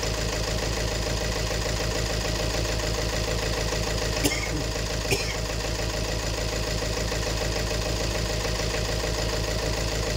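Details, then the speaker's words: 2018 Peugeot 3008 diesel idle with a hard, regular knock under the clatter; injector one reads 1.17 versus about 0.78 on the other three, diagnosed as a fuel-system fault at injector one. "ah yung injector number one ang merong problemas kasi yung tatlo almost magkakaparehas sila"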